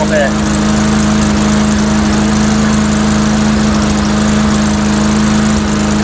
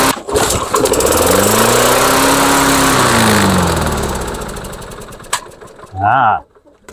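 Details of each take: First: Mastercraft 3-in-1 mower with a replacement engine, old unit, test run with RPM increased a little: steady even drone at raised speed, no misses, surging or knocking; runs fine, owner suspects carburetor maybe running rich. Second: Two-stroke engine fitted to a Mastercraft 3-in-1 mower, with old Chinese spark plug: catches and races up to a high howl, holding before falling away; running out of control, owner suspects sticking governor linkage.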